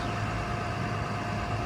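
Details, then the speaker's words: 2013 Ford F750 forestry bucket truck, 6.7 L Cummins turbo diesel, 6-speed Eaton Fuller manual, 82,000 miles: quiet, even idle with a smooth low drone, lacking the typical rattle; engine sounds really good. "engine sounds uniquely quiet. Doesn't have that, you know, typical rattle you hear in them. It sounds really good."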